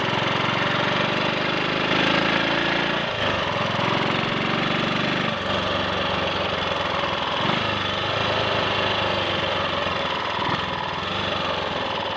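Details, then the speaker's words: Triumph Sports Cub single cylinder on road ride after fuel tank cleaned of rust and projected-electrode plug fitted: smooth, even beat under load with no misses or cut-outs; slight hesitation at half to three-quarter throttle, suspected crud on carb needle. "lit up brightly. It's working. There we are. That didn't miss a beat."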